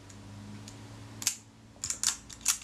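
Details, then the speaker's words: Retina IIIc camera with serviced sticky shutter, focus rack re-engaged one tooth over: faint whir then crisp light clicks as the film advance lever is stroked; shutter cocks just before the end of the stroke, working properly. "i just hear that shutter cocking before the film advance got to the end of the stroke"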